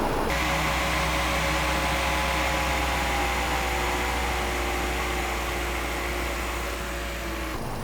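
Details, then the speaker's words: BMW B48 4-cylinder (F-series 330i/430i) after water pump replacement, idling with both coolant caps off to bleed air, heater at max, AC off: smooth, even idle, steady low hum, soft fan rush, no knocking or ticking; healthy. "Let it idle for, I would say, at least 5-6 minutes with the both caps off, just to let the air out, to clear the system better, to basically bleed the system better out of all the air that is there."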